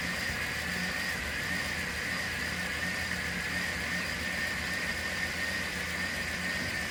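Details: 1993 Chevy G20 van, 5.7 L V8, after a crank/no-spark/no-start fault; timing set by ear with the distributor loosened. Steady, even idle with a smooth hum, no misses, knocks or hunting; engine running cleanly.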